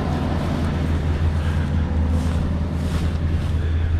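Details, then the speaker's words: 1977 Lincoln Continental Town Coupe V8 revived after sitting, idling: deep, steady burble with no misses, knocks or hiss; runs evenly and healthy. "listen to it it's so happy it's a happy car a little Angus Black Angus"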